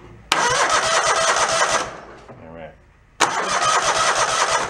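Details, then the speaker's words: Mid-90s Toro Wheel Horse riding mower on a jumper pack: two brisk cranking bursts with an even, strong chug rhythm; compression sounds good, no compression issue. "it sounds pretty good. The compression sounds good. I don't see an issue there."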